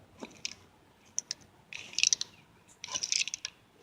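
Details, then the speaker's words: 1978 Ford F-150 Ford 9-inch rear axle out of the truck, bearing turned by hand: gritty, irregular clicking and rasping. The bearing is missing balls, and the axle seal is gone, causing a bad leak. "I don't know if y'all can see that, but right up in here, them balls, this thing is actually missing some of the balls out of this bearing."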